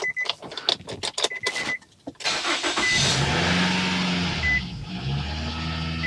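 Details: 2011 Nissan Rogue 2.5L four-cylinder after valve cover assembly and spark plug replacement for an oil leak (oil was found in the number one plug tube): brief cranking, then catches and settles into a steady, even idle with chime beeps; clean start.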